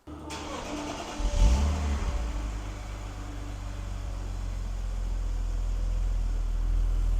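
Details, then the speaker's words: BMW E46 330i on a cold start: the idle rises and falls in slow, uneven lopes; unplugging the mass airflow sensor makes no change. Loping idle; the idle air control valve is to be cleaned. "so besides it loping like that it's running pretty good on cold start"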